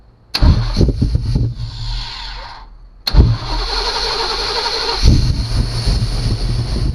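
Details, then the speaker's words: 1991 Chevy Caprice, 5.7 throttle-body V8, auction car that had run out of fuel, starting after relay hooked up: short cranking, then fires and settles into a steady deep idle; running on all eight. "exhaust sounds good sounds like it's running on all eight"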